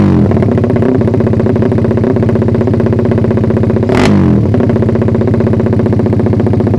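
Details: Suzuki Satria FU single after ignition timing was advanced slightly via the pulser, revved: climbs crisply but plateaus at the top with a brief stumble mid-run. Owner suspects ignition or carb setting needs retuning.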